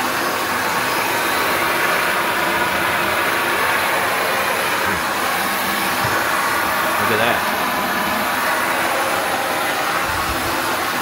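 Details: Shark NV355 vacuum bought in 2018, about 3 years old, converted to hose mode with strong flow; loud constant rushing hiss of suction, no surging, grinding or rattle; normal running.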